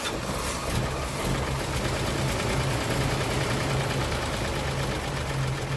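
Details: 1937 Pontiac Silver Streak barn find that had sat a while, started on the third try after its weak-spark points were filed. The old six runs with a soft, loping, fairly even beat and no hard knocks.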